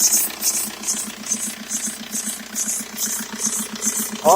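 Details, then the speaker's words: 2003 VW Jetta ALH TDI idling with top timing belt cover removed: sharp oscillating chirp pulsing about twice a second in time with engine; owner suspects timing belt, serpentine belt ruled out, unconfirmed. "so anyway the point in this video was to get people to hear that sound so if anyone has a heads up on on on what they've experienced with that sound wear the belts making that oscillating squeaking sound and post a comment"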